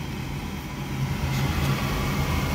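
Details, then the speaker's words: Gas furnace that lit then went out, after cleaning the dirty flame sensor with a scrubby pad: thermostat calling for heat, inducer fan starts with a smooth, steady low hum, no rattle or scrape; normal inducer fan start. "okay so we just turned the thermostat on it's calling for heat the inducer fan just turned on"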